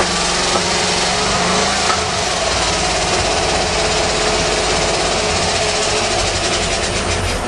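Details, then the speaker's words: 1935 Mercedes with points-and-condenser ignition, started after seven years in storage, smoky. A loud, ragged, uneven note with no settled rhythm: it seems to run on only four or five cylinders and won't idle. Rough running. "won't idle yet not running on all the cylinders that's all gas it sounds like it's only running on about four or five cylinders"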